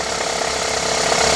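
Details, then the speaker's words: Honda Civic 1.8 16v automatic, cold idle on first starts: fast, even rattling tick appears when shifted into drive or reverse and stops in neutral; hydraulic belt tensioner that has lost pressure. "Coloca a marcha. Colocou a marcha, o barulho volta. E é um barulho chato."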